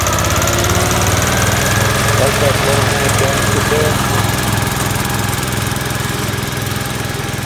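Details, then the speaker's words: Commercial 12 mower with a rusted, holed deck, running: a loud steady drone with a heavy low throb about three times a second; it vibrates heavily, and the owner is unsure whether something is bent, so the cause is unconfirmed. "but it vibrates like crazy and I don't know that has anything to do with it but really vibrates a lot"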